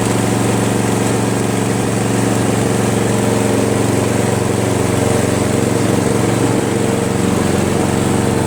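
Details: Free Craftsman push mower, 158cc Briggs, after carburetor cleaning and fabricated throttle governor spring: smooth, even putter at steady speed with no misfires or hunting; normal idle.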